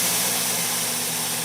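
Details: ApolloSpray digital turbine sprayer entering Power Pause after the trigger was held open past the warning beeps. A high, airy hiss slowly sinks in pitch and loudness as the turbine spools down to a quiet tick-over; normal low-speed standby.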